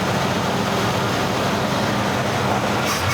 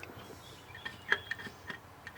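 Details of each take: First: 1982 GMC C10 square body barn find, sat over 25 years, homemade propane setup switched over to gasoline carburetor: V8 holds a steady, even idle with no misses or knocks; runs smooth. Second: 1982 GMC C10 with a homemade propane engine setup, sat about 25 years, engine off: faint, irregular light ticks, roughly three a second, possibly a propane primer or pump feeding fuel; cause unknown.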